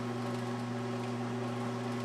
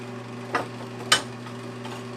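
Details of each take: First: 1982 Montgomery Ward Powr Kraft 230 A stick welder after repair, running at full current; steady low hum with a faint rattly buzz from the welder vibrating on the metal plate it sits on, quieter when moved to the floor. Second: 1982 Montgomery Wards Powr Kraft 230 A stick welder (Century), repaired, cranked to maximum welding 6011 5/32 rod: steady low transformer hum under load with a few knocks, extra vibration from sitting on a metal plate; normal arc welding.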